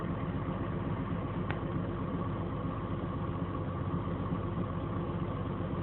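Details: BMW 528i idling after a fender bender: steady even idle with low rumble and a faint irregular tick on top; abnormal engine noise, cause unclear.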